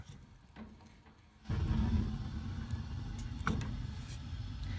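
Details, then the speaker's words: Floor furnace with thermostat and limit loops disconnected, in pilot position: quiet room then a sudden low whoosh and steady roar as burners light on their own; the gas valve is stuck open. "we're gonna turn it on and the gas valve is still stuck open you'll be able to hear the burners light when I turn it"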